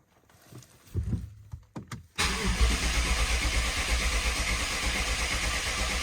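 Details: BMW 750Li first start after engine and transmission reinstall, fuel system initially empty: short hesitant start then steady even cranking that never catches; no start, owner suspects a fault since fuel should have arrived by now.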